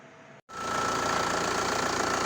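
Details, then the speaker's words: VW Passat B5 diesel: after a short silence it catches and settles into a steady, even clatter with faint whine; smooth idle, though a large fuel leak from a hose remains. "Posłuchajcie sobie jak wpłacać or pięknie mruczy"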